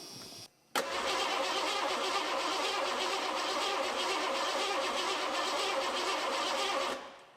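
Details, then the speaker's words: 1986 Ford F-150 (also called a 1985) with a 5.0 early EFI engine, sitting 20+ years: it cranks evenly and steadily on starting fluid but never fires. No spark; the coil and wiring are to be checked. "Well, that's telling me we got no spark."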